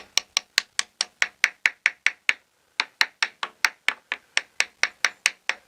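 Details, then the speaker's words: Catalina 380 sailboat hull after a hard grounding, tap test on the fiberglass over the lead keel: sharp taps, some ringing dull and hollow, revealing voids where the glass over the lead has failed; the area needs opening up and inspecting. "But you can hear that. There's a void there. Some voids in there. So this is going to have to be opened up and inspected too."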